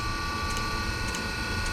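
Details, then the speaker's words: Nearly 40-year-old Eberspacher D3L diesel air heater under restoration, started with the flame sensor bridged: soft clicks about every 0.6 s over a steady fan hum as the glow plug relay pulses the glow plug normally. "okay so now the fan is starting we can hear now the glow plug relay working as this sends some impulses to the glow plug"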